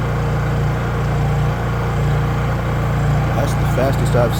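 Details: Honda EU3000is generator after carburetor replacement, fresh gasoline, started outdoors: steady, even low hum with no misses or knocks; normal running.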